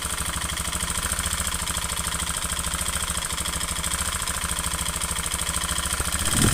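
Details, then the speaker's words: Honda Beat FI scooter, often late on oil changes: fast, hard ticking knock at idle that gets rougher when revved, persisting with fan cover removed; worn piston slapping in the bore, piston replaced. "nah ini suaranya bisa didengarkan suara kasar Nah dari sini bisa dianalisa satu persatu nantinya suaranya kasar ngetek seperti ini"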